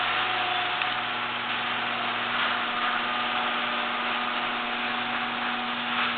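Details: Genie garage door opener after greasing hinges, screw drive and spring: steady even motor hum and drive whir, no squeal, grinding or clunk; runs smoothly, previous noise gone.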